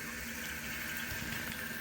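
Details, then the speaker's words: Low-flow toilet fill valve fed by a half-inch angle stop, supply fully open: a loud steady rush of water with a thin whistle and splashing in the tank; the flow is too high, blasting down and back up, and is fixed by lowering the supply volume. "I I think it's blasting down. Yeah, it's blasting down and hitting back up. So, just lower the volume on it."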